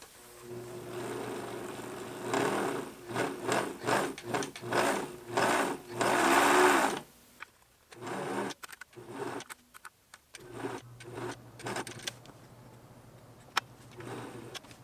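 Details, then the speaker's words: Pfaff Hobbymatic 807 sewing machine, cause not found: rattly whirring of about two stitches a second that speeds and slows unevenly then stops; excessive running noise, suspected from its many plastic gears (possibly worn), unconfirmed. "so i think maybe we're hearing gear noise from these plastic gears"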